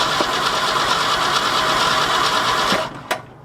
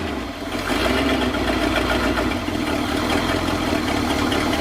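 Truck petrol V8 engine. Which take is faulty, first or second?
first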